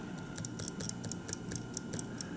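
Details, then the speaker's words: 1950 Buick Roadmaster New Haven dash clock on bench: after winding it failed to start, likely from lack of lubrication in the gear train; a tap freed it and it ticks again, crisp and even at about four or five per second. "that that freed it up enough so to speak do you see it it's ticking again"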